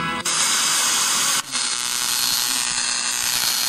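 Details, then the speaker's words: Digital interference on a 2004 Brionvega TS522 AM/FM reissue radio (digital LED display, Philips I2C bus, TEA5757 front-end IC) on FM: harsh hiss with fine buzzing crackle that drops out briefly while tuning; noise also appears when storing presets and on strong local stations. "what's happening is I'm going to turn it up so you can hear it it's picking up digital noise now listen to it this is on F"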